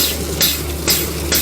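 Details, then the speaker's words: Used Flojet BIB syrup pump bench-tested with sanitizer through an auto shut-off and BIB connector during refurbishment. Steady low hum with an even hiss pulse a little over twice a second. Water flows well. Normal pump operation. "pumping through pretty good. See how it's see the water flowing really good. Water flow's not bad at all."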